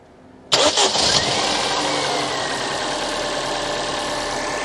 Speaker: smooth as a whisper give it a bit of gas and again